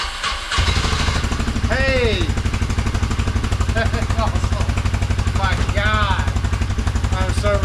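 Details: 2017 Can-Am Defender HD5 that would not start, after new LMAR8D-J spark plug: first start, steady even low putter about four pulses a second, no misses or stumbles; idles smoothly.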